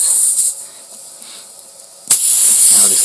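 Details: Sharp hiss, a pause, then a strong steady rush of air from a big puncture in an inner tube, inflated to find the hole.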